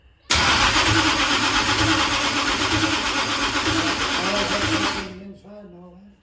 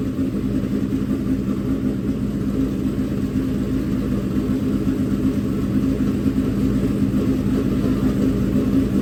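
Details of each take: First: Dirt-track race engine during first start attempts: harsh, raspy grinding through a five-second crank with no fire, then it stops. The starter is mounted too close to the flywheel and binds on it. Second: Freshly built dirt-track race engine in break-in, held around 2000–2500 rpm to heat up and seat the bearings: a smooth, even, steady drone with no knocks or ticks. It sounds good with no leaks seen yet. Normal running.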